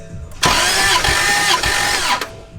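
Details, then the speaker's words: 2JZ engine in a Mustang after rebuild, first crank to check compression on the back cylinder: starter turns it over evenly for under two seconds with regular compression pulses, no misses; compression about 120–130. "I guess a moment of truth we're gonna hop in this thing and crank it for the first time and see if it actually builds compression on the back cylinder"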